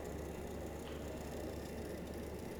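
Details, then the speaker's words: Portable electric-pump hydrodynamic cavitation water disinfection device, water pumped from tank through pipes currently on bypass: steady even pump hum with smooth water rush, no crackling or popping; normal flow. "uh so in this setup the water from this tank is being pumped through the pile through that pump and it is passing through the the water inside the pump is uh water inside the tank is getting pumped through the these pipes"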